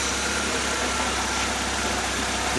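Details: 1.3L four-cylinder from a 1999 Suzuki Swift (113,000 miles) for a hovercraft, makeshift exhaust, belt reduction drive not engaged: smooth, even low hum picking up slightly at the end; healthy, no knocks or misses.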